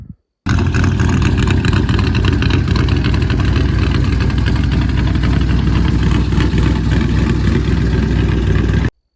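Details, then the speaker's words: 1985 Chevrolet K20 Suburban with LS swap, fuel injection, straight-piped without mufflers: loud, deep, lumpy V8 idle with raw open-pipe bark and steady firing pulses, no knocks or ticks; healthy idle. "I'll go ahead and add a video of without these mufflers and it's straight piped right now"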